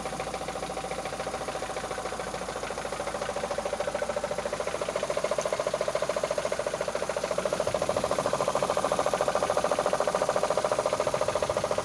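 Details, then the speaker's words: 2005 Mitsubishi Lancer 9 petrol engine at 276,000 km idling with a steady sharp knock, three to four raps a second, seeming to come from the timing belt area; cause unknown. "В общем, проблема Lancer 9, 2005 год, пробег 276 тысяч. Вот такой стук. Что может быть?"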